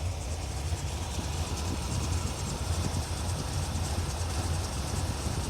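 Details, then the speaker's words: 1981 Corvette after rocker nut replacement, warm after 10 minutes of running with no leaks and good temperatures; a steady low idle rumble with an even beat and no valvetrain ticking, quieter than before; normal idle. "she's been running for 10 minutes everything looks good no leaks temp temperatures are good she still sounds good no noise"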